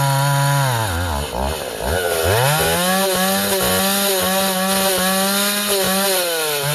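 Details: Vintage Husqvarna L65 chainsaw, lightly tuned, cutting ash: under cut load, then revs climb and hang high between cuts as the tank nears empty; owner unsure if normal or tunable, considers adjusting the high jet.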